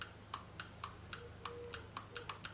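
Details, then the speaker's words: 2005 Scion xA EVAP purge valve solenoid, bench-tested by touching battery leads to its prongs: sharp, crisp clicks about four per second as it opens and closes. The solenoid is good; the fault was a broken wire and a cracked vacuum hose. "think I seen here it is clicking and activating and if I go ahead and leave it on there now the song is open allowing the vacuum resealing so the still annoyed is good"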